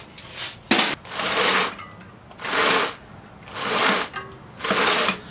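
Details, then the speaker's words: 4-stroke 7G motorized bicycle build, wheel spun by hand: smooth whirring chain with light plastic rub, no popping; chain alignment fine after bending brake arm to clear chain. "if you hear any popping that'll tell you that you have some problems with alignment on the Chain I don't hear any uh popping or anything"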